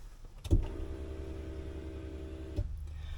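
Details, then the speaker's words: Turbo Acura RSX Type-S after upgrading to Walbro 450 fuel pump, key-on prime: click, steady two-second loud electric hum at constant pitch, click as it stops; pump primes cleanly and healthy. "Alright, I'm going to go ahead and prime it, and we'll hear if it primes."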